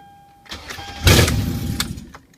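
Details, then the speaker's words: 2010 Toyota Sequoia after starter replacement, exhaust manifold off: short crank, then the engine catches quickly with a loud, raw burst and settles; normal crank and start. "start it up and it sounded mean for a split second really then just in case get the keys in it so now we're just gonna go back together with it and it looks good and it started just bump the starter and it started"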